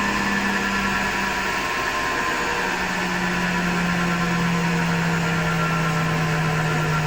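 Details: Hotpoint Ariston FMD963 washing machine with a constant low drone and a rough, gritty rumble over it that never lets up; the owner suspects the motor rather than the drum and will take the belt off to test.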